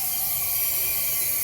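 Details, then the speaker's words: 2008 Jeep Wrangler 3.8, cylinder 1 misfiring (P0300/P0301): cylinder pressurised, steady unbroken hiss of escaping air; no compression in cylinder 1, head removal planned, valve seats suspected. "no deja el aire aquí no hay compresión desde el cilindro uno no tiene compresión"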